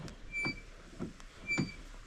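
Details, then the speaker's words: 2022 Can-Am Commander 1000R with a bad wheel bearing that chatters on the road and has play when rocked: gritty, squeaky creaks about twice a second as the wheel turns slowly, before replacement. "whenever you're going down the road it it Chatters a lot so I'm going be R placing the wheel bearing with a super hvv uh Ultra tough wheel bearing"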